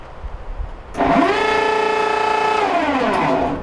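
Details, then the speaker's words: Whirlpool WED4900XW0 electric dryer starts with a harsh, buzzy, raspy grinding drone. Debris fell down the lint screen into the blower wheel, and the fix is to disassemble from the rear and remove the debris. "obviously we hear the grinding noise uh from experience I'm familiar with the problem uh something fell down the lint screen here and uh is into where the blower wheel is"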